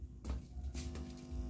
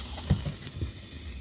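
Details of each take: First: Ashley ACT500Pro active speaker with rain-like noise and crackle fault: touching the high-driver IC power stage input gives three loud low hum bursts, no crackle; power stage normal, fault suspected in tone control/preamp. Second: Ashley ACT500Pro active speaker with master, treble and low all turned down: low hum with scattered irregular pops and crackles, like roasting corn; suspected preamp IC or its power supply.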